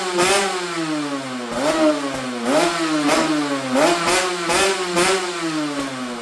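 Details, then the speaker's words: Yamaha TZR250 3MA two-stroke that wouldn't start, running after old fuel was drained from the carb bowls: crisp revs snapping up and falling back cleanly in repeated bursts, no bogging; running healthy. "But after spending 5 minutes draining the old fuel out the carb bowls, a beast was born."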